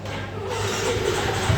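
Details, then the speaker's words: Yamaha X-Ride electric start fault, after new battery and checking connectors and related components. Starter spins engine over, it catches and settles into a steady low idle: normal electric start. "nah ini sudah bisa dilakukan starter tentunya setelah kita lakukan pergantian aki dan memeriksa bagian komponen-komponen terkait untuk"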